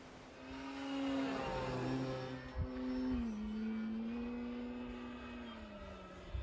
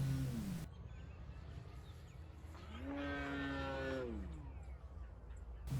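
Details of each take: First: FMS Pitts electric RC plane after balancing prop and spinner and fixing loose parts, 6 mph wind, 48 degrees: clean electric motor hum rising and falling smoothly with throttle on pass, no buzz or rattle; noise gone, normal smooth running. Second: FMS Pitts electric RC plane in windy flight, spinner found badly out of balance, rudder vibrating from prop: buzzing prop note rising and falling on pass with rough rattly edge; prop imbalance vibration, later snapped as heavy 22V battery shifted.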